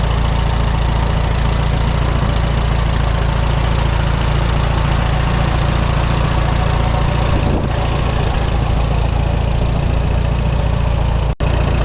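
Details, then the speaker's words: 1954 Allis Chalmers WD45 tractor at idle: soft rubbing hum from the bell housing that drops out when the clutch is pressed in and returns when released. Not a rod knock or crankshaft fault; benign-sounding, cause unconfirmed. "it's not a a terrible like a rod knock or a broken crankshaft or anything like that it's more of a kind of a benign rubbing noise"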